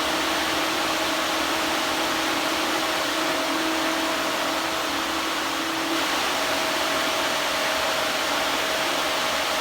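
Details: Electric radiator cooling fan on the Old Hank project car: steady rushing airflow with a constant low hum. Strong draw, quieter than the 57 Chevy's fan, audible from inside the car.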